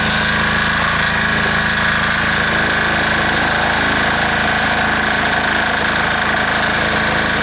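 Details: Air-cooled diesel engine just reassembled, running at full throttle: loud, busy clatter with a slightly uneven beat hinting at unsteady firing; rough running, owner suspects it is starving a little for fuel.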